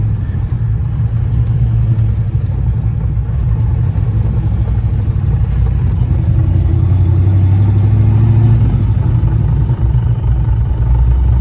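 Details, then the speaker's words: LS-swapped Chevrolet S10 with T56 gearbox coasting in first with clutch in: low rolling rumble with loose uneven marble-like rattle; pilot bearing replaced and input shaft slack fixed without change, cause unknown. "first gear still got a little bit of a noise in fifth and six but other than that it don't let me slow down here to first gear if I can no cars"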